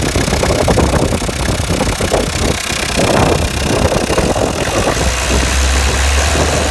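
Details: 2007 Peugeot Partner 1.9D (DW8B) diesel, hard rapid clatter over idle, sharper than normal diesel rattle; faulty injector, fixed by replacing it with a used one.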